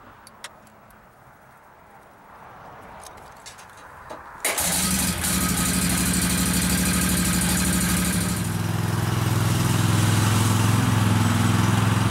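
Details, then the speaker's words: Kawasaki V-twin lawn mower engine after replacing the intake manifold gaskets on both sides, following an earlier ignition coil swap, to cure a misfire and bogging; catches and runs steadily without bogging; normal running. "seems to fix the problem mold the grass just like it should"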